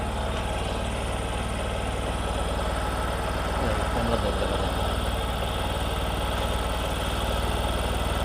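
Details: Discover motorcycle in a clip on mileage and engine sound problems: the small single idles steadily with an even low putter and no knocks or ticks; it sounds healthy.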